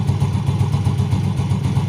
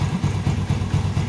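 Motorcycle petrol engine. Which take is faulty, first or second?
second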